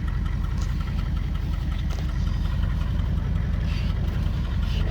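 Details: 1978 Chevy Malibu with a 6.2L diesel swap, HX35 turbo at about 10 psi, 3-inch straight pipes, Turbo 400: steady, even diesel clatter at idle with a deep, loud exhaust rumble and no misses; runs clean and healthy.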